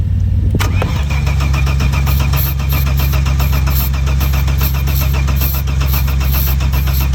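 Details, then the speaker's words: Saab 900 V6 farm car that sat, with original battery, fuel pressure present, stale fuel, starting spray used, starter tiring: click then long steady low cranking drone that never fires; engine fails to catch. "Come on. It was ready to bark off yesterday. Nothing."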